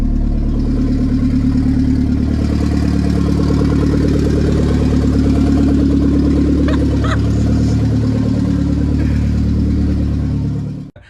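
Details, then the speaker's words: K20 turbo RHD Honda Civic wagon on a startup base map, first start: after initial choppiness it idles on its own with a steady, even four-cylinder exhaust note, no misses or knocks; healthy. "it's idling on its own"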